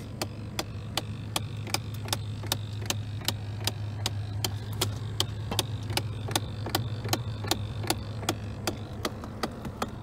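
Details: 2001 Chevrolet Silverado with broken A/C; the clicking started when the A/C was turned on. Sharp, even clicks about two or three a second over a steady blower hum, low in the dash; the owner suspects a fan or something in the HVAC box.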